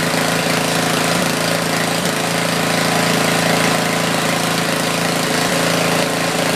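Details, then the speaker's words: Tecumseh 4,000 W generator with 8 hp engine, sat about a year, on choke with a small drill plugged in and a meter checking output; loud, even drone holding steady speed, no misses or knocks. Normal running under load. "I decided to check the power output first, so let's do that. I have a drill plugged in and a meter."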